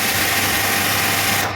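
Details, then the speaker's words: Plunger-pump car-washing machine: loud steady hiss over an even motor drone, cutting off cleanly as soon as the gun trigger is released; pump and auto-cut healthy, with no 3–10 second shutdown delay. "Machine दबाई तो machine चालू हो गई, और छोड़ी तो ये machine बंद हो गई।"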